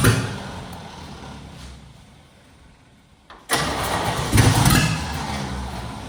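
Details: Junkyard 1969 Chevy C10 with spark present and a sticking carburetor; the owner suspects a poor cap and rotor. The starter labours with uneven low churning, pauses, then cranks harder, and the engine never catches: a weak, struggling starter.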